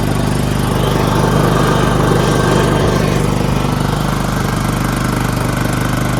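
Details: John Deere LT160 riding, rebuilt Kohler Command engine with 16 hp block, 15 hp crankshaft and rod, cleaned fuel pump, after three carburetors and two fuel filters; steady even thump under load, no surging or stalling; normal running.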